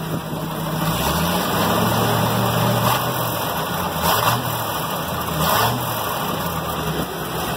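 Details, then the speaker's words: Loaded Ford F600 grain truck idling, heard from up on the truck: soft flutter with brief hissy surges every second or so; owner thinks valve train, plans oil change. Cause not confirmed. "Sounds like it's in the valve train to me. So maybe we'll bring over some fresh oil and do an oil change tomorrow, because yeah, that's just that's not good."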